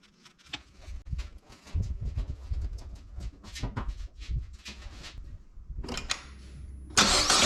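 Engine catches and settles with a quick, light tapping rattle from the top end, typical of lifters starved of oil pressure.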